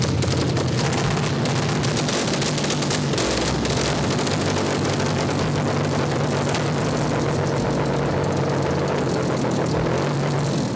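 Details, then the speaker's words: Alfa Romeo GTV6 with new Busso V6, restarted after fixing a kinked fuel line that caused loss of fuel pressure; kept under 2,000 rpm for break-in: steady low even hum, smooth unbroken idle, no knocks or misses; healthy. "nous avons redémarré le moteur il a redémarré, tout semble normal"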